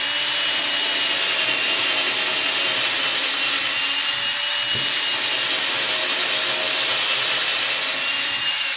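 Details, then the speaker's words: Drill, not an impact driver, running a bit through wood with a consistent motor; steady, even whir at one pitch, no surging or grinding; normal drilling. "the drill is a consistent motor continually going around and you'll burn it out if you're not careful primarily for drilling holes"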